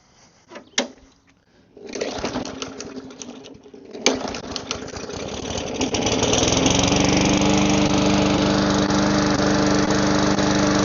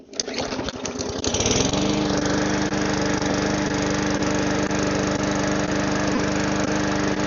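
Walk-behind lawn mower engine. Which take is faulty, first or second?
first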